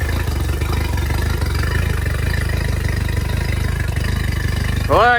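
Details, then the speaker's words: Yamaha T50TLRD 50 hp outboard after head decking and a new head gasket, with an uneven, stumbling beat in its low thrum and an occasional dropped stroke; misfire. "guys well she's back to running seems to have a little bit of a miss or Uh something's acting up with her so we're going to do a little bit more investigating"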